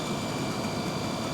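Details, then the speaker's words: Car with a battery three months old, at idle: steady engine with thin constant high-pitched whine; suspected idler pulley or belt-driven accessory, not confirmed. "engine sounds good well maybe we got a bit of a wine maybe an idler pulley or something"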